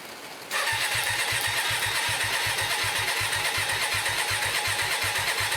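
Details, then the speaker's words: Hyosung 125cc V-twin motorcycle, standing two years, carbs just cleaned and fuel-primed with possible overflow leaking, a little choke applied: the starter churns in steady pulses with no firing. It cranks but won't start. "doesn't look good does it nothing's happening let's try again"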